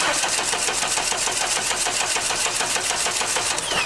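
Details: Junkyard 1989 Dodge Daytona, hot-wired at the starter solenoid and just given spark: fast even starter cranking of about three beats per second that never catches. It cranks but will not start; the fuel pump is suspected locked up.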